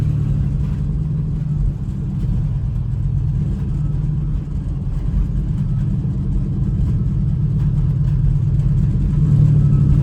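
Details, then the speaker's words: 2008 Chevy Express cargo van with catalytic converters stolen ("racing exhaust"), kept dying; driving around the block: deep, loud, steady unmuffled exhaust rumble under way, overly loud open exhaust. "Yeah, so it's definitely got the racing exhaust for sure."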